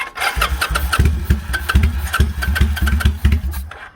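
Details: Kawasaki Vulcan 800 motorcycle sprayed with starting fluid: steady rhythmic chug of the starter turning the engine over for about four seconds, no firing takes hold; cranks but won't start, cause not confirmed.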